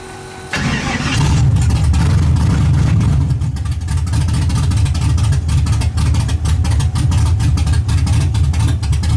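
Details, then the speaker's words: Engine first start after carburetor was removed, cleaned and fuel run through: starts, then lumpy uneven beat about four per second; sounds like firing on half the motor, owner suspects wiring or a loose plug connection. Rough running. "It sounds like it's only firing on half the motor."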